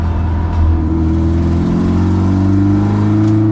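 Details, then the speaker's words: Old Toyota track car at the Nürburgring: loud raspy blowing edge on the exhaust note under hard acceleration, an exhaust leak; hopefully something loose rather than a snapped pipe, not yet confirmed. "Yeah, so there's an exhaust leak. Hopefully it's not a snap and hopefully it's just something loose, but let's go find out. The undeniable sound of the exhaust blowing."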